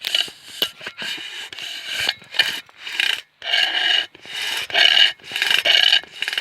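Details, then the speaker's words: Miele S5 Cat and Dog vacuum extension tube: repeated harsh rasping scrapes with a squeak, about one a second, as the tube slides; owner suspects a stone or debris inside the wand. "there must be like a stone inside it or something when you extend that you can heave it scrape"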